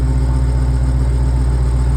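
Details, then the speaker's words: 2023 Dodge Durango SRT Hellcat, 710 hp, idling just after a DIY oil change with 8 quarts, run to push oil into the pan and cooler before rechecking level: deep, steady V8 rumble, even beat, no ticks or knocks; normal healthy idle. "All right, we got her started. We got this puppy running good. All right, let it run, let it push some oil in there."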